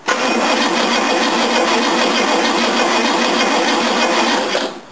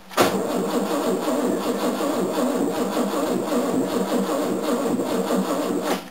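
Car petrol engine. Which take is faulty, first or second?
second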